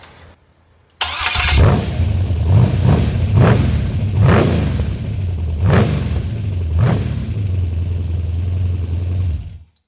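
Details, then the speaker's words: 5.3 LS with homemade front-mount HEI distributor and temporary belt at fast idle; light ragged rattle from rockers over fast idle, oil pressure 25; cause unknown, timing suspected for surging. "started getting a lot of rattle up here on the rockers and stuff. That ain't good."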